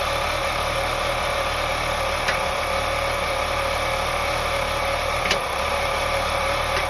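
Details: 2001 BMW 525i E39, M54 engine, steady idle with an occasional sharp knock, three in about seven seconds, not in time with the engine. Owner suspects loose spark plugs causing a misfire; not confirmed.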